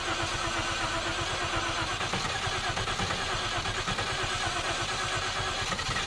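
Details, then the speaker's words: 1951 Korean War M38 army jeep, not run in years, first start with starting fluid after points diagnosis and fuel pump reconnected: engine catches and runs with uneven stumbling firing pulses and ragged rhythm; running rough after sitting for years. "so guys so there it is it runs"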